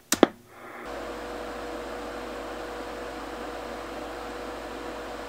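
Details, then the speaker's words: Original cooling fan on a Drake TR7 ham radio transceiver, microphone about two feet away: after the switch clicks, a steady loud whoosh with faint tone, averaging about 55 dB against 34 dB room background; works fine but noisy, to be replaced. "okay so hopefully you heard the fan running there and it looked like from the sound meter here on the smartphone it was averaging right around 55 decibels or so"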